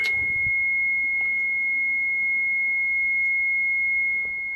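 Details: 2004 Mitsubishi Shogun diesel, 3.0 or 3.2 litre, with almost no brakes and ABS and brake lights on: a steady high-pitched warning tone drones continuously. The HBB brake booster fault codes can't be cleared; a booster motor problem is suspected.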